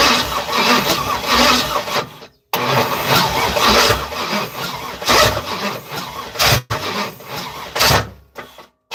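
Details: Third-gen (82–92) Camaro on starter fluid, other coil pack just plugged in: uneven cranking bursts with sudden pops and silences, coughs and backfires (fireball) but never catches; no start. Owner suspects injectors not working.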